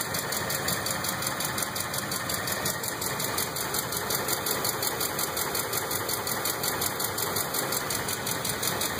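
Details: 2005 Ford F150 5.4 3V V8 at idle, before repair: light, fast ticking about three per second over a steady idle, caused by seized hydraulic lash adjusters (lifters).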